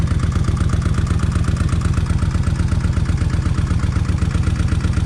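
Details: Kawasaki Vulcan 1600 V-twin after new injectors fixed a wet-plug problem: even, loping idle about four pulses a second, no misses or clatter; healthy, faint fuel pump noise remains.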